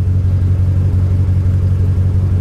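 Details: Salvage-auction BMW, engine run briefly at the lot: lumpy, uneven idle with pulsing low rumble, possible slight backfire, strong raw-fuel smell, flashing dash lights and warning messages; running rough, cause unclear.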